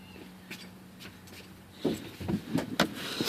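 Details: 2007 Chevrolet Silverado with no fuel pressure, pump fed 12 volts directly at the rear: faint steady low hum, then handling knocks; pressure jumps up, so the pump runs fine and the fuel pump module is suspected bad.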